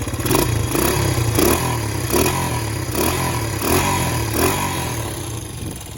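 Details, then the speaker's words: Honda CB125S after engine rebuild, about 10–11 minutes run time, good compression, one-kick start: unevenly idling single popping and spitting in irregular bursts; owner thinks it can be tuned out by adjusting the points. "So, she's kind of popping a spider and I think I can get that tuned out with the points. Plus, everything's still fresh and new."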